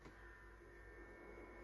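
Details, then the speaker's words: Hitachi CPT 0652 TV boombox radio on long wave: faint steady hum under quiet hiss; interference from nearby running equipment. "now you'll get some interference because of what i'm running but we'll see if we can get there"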